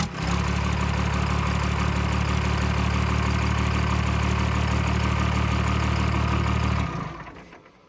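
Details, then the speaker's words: Diesel pickup with fire-ringed head, started briefly after a drive revealed trouble: rough, heavy idle with an uneven low throb for about seven seconds before shutdown; blown head gasket, head must come off. "so the head's got to come off i need a head gasket"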